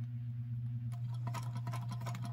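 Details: Yard-sale sewing machine after cleaning, on a test run of stitches by a beginner told to give it a little more gas. Steady low motor hum with light, rapid needle clatter at an even speed: normal stitching.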